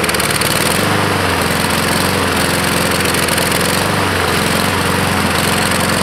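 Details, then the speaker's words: 2014 Husqvarna HU700F mower, Honda GCV160 single-cylinder, before carb clean: engine chugs, beat drops and recovers unevenly, hunting for fuel; main jet clogged, likely by flakes and crusty pieces from the float bowl. "probably those Flakes and crusty pieces got lodged up in here and clogged up it ran for a couple seconds but then that was it"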